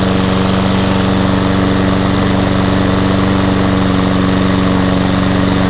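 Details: Hayter lawnmower with a Honda petrol engine, from a job lot, started outside on its first run attempt with no fuel leaks: steady, even drone with no misfires, hunting or knocks, so it runs cleanly, though the drive is not working.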